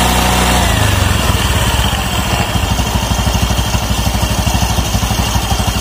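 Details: Automatic scooter after reusing old CVT rollers, roller housing reassembled and nut tightened: engine fires then settles into regular putt-putt idle around three beats a second, no slipping or rattling from drive; normal idle.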